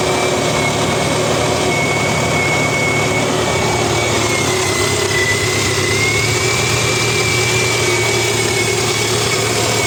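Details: Honda ST1300 motorcycle engine idling steadily with a busy metallic rattle over it and a thin whine on top.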